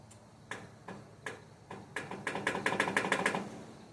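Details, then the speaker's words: 1977 Bolens G10 tractor, after muffler install and fuel line/filter replacement: slow, uneven cranking clicks speed up to about six per second then stop without firing; battery too weak. "That battery died quick. I guess I'm going to cut it here and bring you back as soon as I replace the battery."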